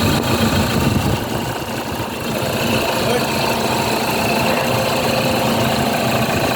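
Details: 2007 Toyota Fortuner that would not start, after repair: steady, even idle with smooth drone and no misses or hunting; engine starts and runs normally.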